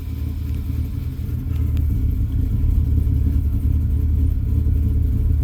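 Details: 2000 Dodge Ram with an overcharging problem, running after the alternator was removed, tested and refitted. Steady, even low rumble at idle with no knocks, ticks or whine. It runs smoothly and the issue appears fixed.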